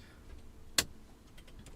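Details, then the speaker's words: Pioneer SX-550 receiver powered on after reassembly: two sharp, isolated clicks about a second apart right after switch-on, then quiet; intermittent clicking from the power section, cause unknown, went away. "There's a strange noise from the power, like a clicking, like it wasn't going, but it's gone, it's fine."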